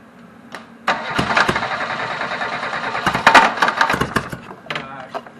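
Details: Reliant Robin on its first start attempt, with old varnished fuel found and fresh fuel being added. Uneven bursts of cranking with brief stumbles that never catch; it cranks but won't fire, cause unconfirmed.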